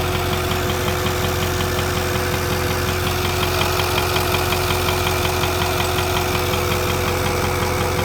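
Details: 2008 Ford 6.4 diesel, just after a water pump replacement. Steady idle with a regular light ticking, about one or two per second, over the clatter. The owner wonders whether a nicked vacuum line is to blame; source unidentified.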